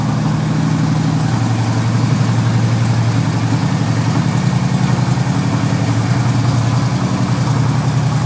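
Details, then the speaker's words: 2008 Harley-Davidson FLHT Electra Glide Standard, just started after winter storage: deep loping V-twin idle with uneven potato beat but steady and unbroken; runs fine. "on there it is running like a true Harley"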